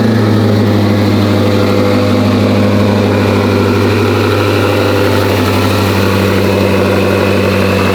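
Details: Twin-turbo C8 Corvette, first start on newly built engine, idling while oil pressure gauge shows dashes; steady deep idle, valve train quiet with no ticking or clatter, suggesting oil pressure present; blow-off valves seen dripping oil at idle.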